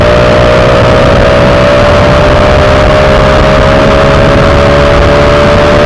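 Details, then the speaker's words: Honda Wave 125i with a PCX150 fuel injector that ran rich and stumbled on throttle, after fitting the correct original injector, riding on the road: steady, even engine hum with no stumbles or misses. "อ่าโอเคเพื่อนมีไหมพอรอเปลี่ยนไปเนี่ยวิ่งดีเลยเพื่อนไม่มีแล้วนะการติดนะเนี่ย"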